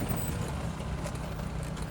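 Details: 1983 Lotus Esprit turbo on a test drive, coming off harsh throttle to idle: low even idle rumble with no stumbles or misses; idle sounds healthy.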